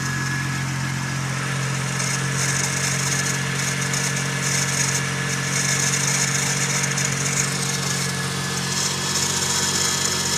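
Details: Toyota 1J engine running: constant high-pitched whine and hiss over the engine; owner suspects timing belt tensioner or power steering pump, not confirmed.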